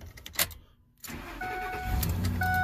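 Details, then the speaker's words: 2007 Ford F-350 Super Duty 5.4L V8 after disconnecting a yellow/white power wire shorting to ground that caused the no-crank/no-start in park: brief crank then fires straight up to steady idle with chimes; normal start, tow/haul flashing. "starts right up now we're gonna have engine light on tow haul flashing because we don't have our solenoids hooked up because we unhook that power wire that's short at the ground"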